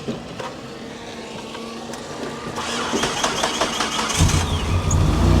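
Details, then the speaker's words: Salvage-auction car with an Optima battery and a cooling fan that runs with the ignition on (suspected battery drain): several seconds of uneven cranking, then it catches with a deep exhaust rumble; slow to fire, but it runs. "that exhaust sounds good it does"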